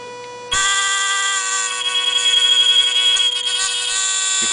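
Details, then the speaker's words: Arduino Mega2560 circuit with a buzzer placed before the resistor: silence, then a harsh steady high-pitched buzz; buzzer works without a resistor in front of it. "clearly hear it very annoying let that proves that at least the buzzer does not need a resistor in front of it to do it"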